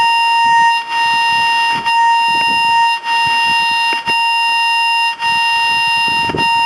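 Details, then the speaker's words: DFNA RF-null locator swung across an intact invisible dog fence wire: steady high tone drops out briefly about once a second when directly over the wire, tone on both sides. "You hear how it knolls out. When I'm directly over the wire, the tone goes quiet, but I've got tone on both sides."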